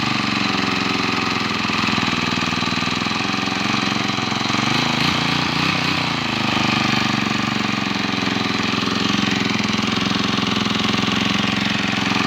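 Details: Eight-year-old four-stroke lawn trimmer that would not start, after a new carburetor was fitted and the ignition coil was cleaned: a steady, even buzz at constant speed with no misses, surging or knock, so it runs normally after repair.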